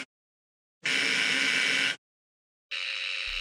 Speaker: now back in the off position electricity flows again to the electromagnet which turns the switch on and we continue this cycle indefinitely the amate is moving too fast for it to be seen but we can certainly hear it